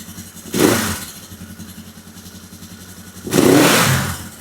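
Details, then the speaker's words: 1972 Honda CL450, cold, first start after carburetor rebuild, new Dyna coils and electronic ignition: two crisp throttle blips each dropping quickly back to steady idle; normal rev and idle return. "And the idle comes down nice and quick. So there we have it."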